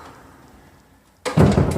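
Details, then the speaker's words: Old commercial steel hollow-metal door after grinding about 1/16" off the top edge: a quiet swing and one solid low thud on closing, with no rubbing, scraping or creak; the door now closes freely. "and there we go. No more rubbing, no more scraping, no more awful creaky noise, and you no longer have to throw your shoulder into this door to open it."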